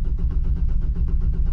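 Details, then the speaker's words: 2005 Chevrolet Trailblazer 4.2L after engine swap and new crank sensor, cranking about 160 rpm: starter turns it over with steady, even compression pulses but it never fires; scan tool shows no injector pulse; crank no-start. "Y según la computadora no hay pulso a los inyectores. ¿Por qué? Ya, automáticamente paró de dar crank."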